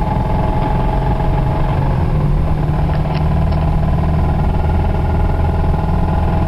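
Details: 1991 Toyota Celica ST petrol engine idling with a heavy, rapid low knock under the exhaust note from a bad rod bearing; it threw the rod about 15 minutes later.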